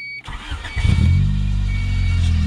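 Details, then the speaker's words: 1991 Honda Prelude: engine cranks and catches with a thin, steady high-pitched squeal/chirp over the idle that stops when sprayed with water; owner suspects idler tensioner pulley, harmonic balancer visibly wobbling; belt squeal at start. "you hear that it's really annoying the crap out of me spray water on it stop it's kind of chirping"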